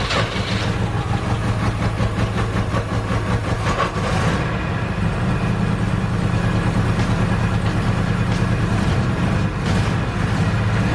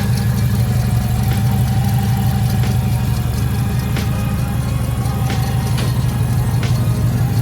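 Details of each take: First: 1976 Subaru 4x4 wagon four-cylinder, hard to start for months: idle irregular and loping, wandering in strength; rough idle, cause not yet found, spark plugs to be replaced first. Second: 1976 Subaru 4x4 Wagon just after a service and four new spark plugs: a steady low idle with an even pulse about three times a second and no stumble or miss; normal idle, sounding much better than before.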